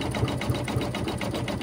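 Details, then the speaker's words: Embroidery machine stitching a Sweet Pea Easter flag/table runner design through many layers: regular stitching thump about four times a second with a faint high squeak on each stroke, growing louder; owner says it needs service. "that little squeak is getting a little louder which i know i've been saying for how long now that it um it's gonna have to go in for service"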